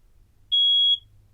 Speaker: Now we'll test all the alarms to make sure that they work. So first, the ionizing smoke detector is what it sounds like.